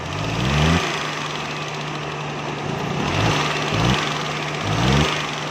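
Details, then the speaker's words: Suzuki Mehran 796 cc running on gas: an uneven run with dull thuds and surges as revs rise, plus smoke; the ignition points gap had closed up, causing the backfiring. "जब गाड़ी ये बैग लगाया दोस्तों, इसने कंटिन्यूस से रबड़ बाहर निकाल दिया है, ठोस ठोस की आवाज़ें निकालती है।"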